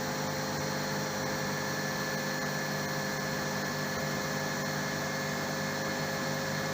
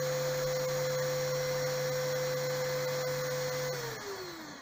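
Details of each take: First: RO plant digital panel in auto mode, raw water pump then high-pressure pump switching on during a one-minute flush: steady, unchanging motor hum with a constant whirring whine and no knocks or surging; the pumps run normally. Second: Small pump motor on a digital RO panel, with raw water pump current protection set to 1 A: motor hums at an even pitch for nearly four seconds, then cuts out and winds down as the overcurrent protection trips; setting needs raising.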